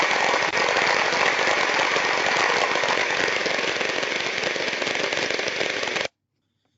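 Ultrasound-style hiss with a rough, irregular clicking of about four per second riding through it, pointing to a damaged motor bearing.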